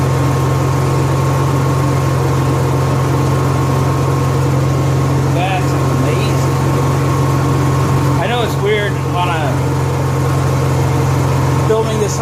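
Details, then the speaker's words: Honda EXW171S welder generator, sat in a barn over 5 years, run after choke warm-up: steady, even hum at constant speed with no knocks or misses; normal running, healthy. "a cell myself and you run a generator inside it's real quiet we warmed up in the choke code throttle mode"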